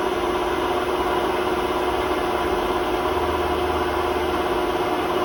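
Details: Hotpoint WMA32 washing machine on a high spin (800 rpm) in its last run before new bearings; loud roar with gritty rough rumble; drum rubbing the bearing seal, bearings practically gone; worn drum bearing rumble.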